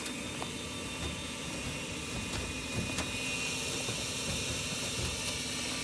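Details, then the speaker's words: Carrier gas furnace with a failed igniter, flashing code 34 (three fast, four slow): the inducer gives a rough, uneven roar with scattered ticks. The induced draft assembly is noisy, suspected of keeping the pressure switch from pulling in. "so pretty sure 30 four is going to be related to pressure switch which is probably not pulling in because you hear the condition of the induced draft assembly"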